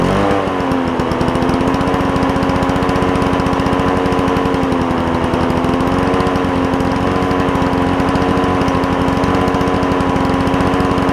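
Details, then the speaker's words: Toro push mower with a two-stroke Suzuki engine, running after carburetor cleaning. Constant high buzzing two-stroke note, held steady without surging or misfiring, sounding like a marine outboard; running clean and healthy. "it sounds like a marine outboard as opposed to a lawnmower doesn't it but cool sound cool sound"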